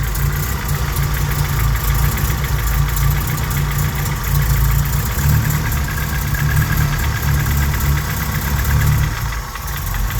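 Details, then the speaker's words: Honda G23 engine in Civic, cold start after sitting couple weeks: light rapid knock over the low idle rumble around cylinder one or two, piston slap that disappears once the engine warms up. "see this that the same the same noise of the Saget has little bit less but he there so then when the engine warm up disappear [Music] it's a piston slot"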